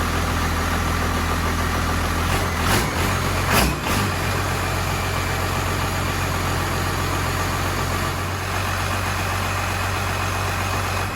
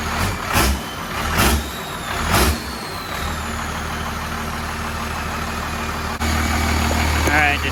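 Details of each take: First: 1993 Cummins 12-valve diesel in D350 chassis (1940 Chevy truck body), first start with temporary 3-inch exhaust: fast, steady clatter held high without throttle, no settling; idle set too high, fixed by backing off idle screw and adjusting rod. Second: 1993 Cummins 12-valve diesel on D350 chassis in a 1940 Chevy truck, idle rod just extended and being adjusted: after early throttle blips, steady low idle with even regular beat, no misses or knocks; normal idle.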